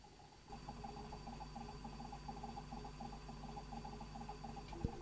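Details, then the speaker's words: Philips N1502 VCR with a quiet hum and a wavering tone pulsing about 3.5 times a second as the head drum servo struggles and hunts for speed; worn drum drive belt suspected. "can you hear me making a a noise that's the drum servo struggling shouldn't be making that"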